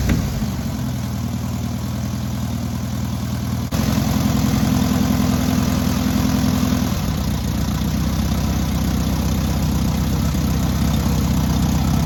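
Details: Newly rebuilt air-cooled VW 1600cc engine at its first start and break-in: even, steady flat-four idle picking up cleanly when revved and settling back smoothly; normal idle and revving.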